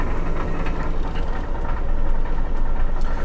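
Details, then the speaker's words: Car with about 141,000 miles, sold as a broken transmission: at idle a loose, irregular rattle of about three knocks per second over the rumble, something bouncing around; catalytic converter problem, car also lags on hills and highway. "Now, I don't know if you guys can hear that little jankily jinging noise, like just something that's bouncing around."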